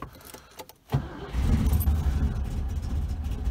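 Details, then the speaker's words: 1981 Rover SD1 V8 started after ignition timing was reset (spec 10° BTDC at 1200 rpm warm, vacuum disconnected): catches on the key, then drops into a super-low, lumpy idle; viscous coupling also noisy. "what it's going to do now i don't know but we shall turn the key and see it did the idle is super super low so it's not always behaving"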